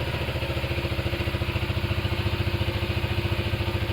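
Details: Benelli Motobi Pesaro 200 Evo motorcycle, started remotely via newly installed alarm with key off: quick, even putter at steady idle, no clatter or stumbles; idles cleanly.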